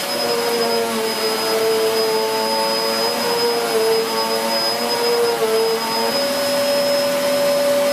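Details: 2013 Hoover Whirlwind Pet WHS2102 001 2100W bagless upright moving over carpet, belt refitted: loud steady motor whine, strong airy rush and a slight pitch step. Noisy because the brush roll is aggressive; healthy, normal running.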